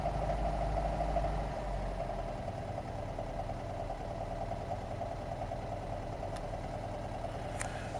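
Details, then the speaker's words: 1989 Talbot Express 2L petrol (Autosleeper Talisman) at idle: faint, fairly regular knock about three a second under the running note; knock worst under slight throttle or gentle acceleration, less at full revs. "Right, you can hear the knocking slightly. Just a tick over."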